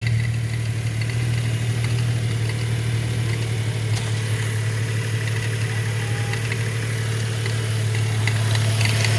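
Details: 2012 Subaru Outback 3.6R idling with a deep steady hum and a faint, fairly regular tick of about three beats a second; an abnormal engine noise.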